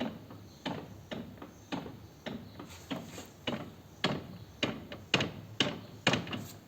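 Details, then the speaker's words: 2008 BMW K1200GT shaft drive (cardan), rear wheel rocked by hand in gear: sharp dry clunks about twice a second; owner suspects worn front universal joint, noise mainly when accelerating hard in first gear; shaft oil showed no metal shavings; not confirmed. "Ese ruido que hace. A ver si es la cruceta de adelante, que está jodida y por eso pega esos crujidos. Sobre todo cuando le metes caña en primera."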